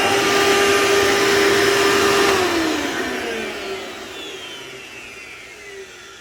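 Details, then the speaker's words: Elite vacuum, sounds different from about a dozen other Elites; loud, steady high buzzing whine winding down smoothly at switch-off; owner suspects damaged fan and dried-out motor bearings, unsure, may just be loud. "Yeah, so it's also loud. The fan is probably messed up based on the buzzing. And the motor bearings sound dried out."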